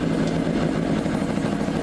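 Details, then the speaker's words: Motorcycle two-stroke after clutch basket notches were filed smooth: steady even idle in first gear with no stumble, drag or creep; clutch releasing cleanly, normal idle in gear. "Anyway, I'm going to put it in gear. There you go. And the bike's not trying to pull or nothing."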